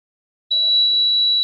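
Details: Yongma rice cooker that would not heat though module lit, after reassembling wiring: one clean, steady high-pitched beep about a second, then silence; controller powering up normally.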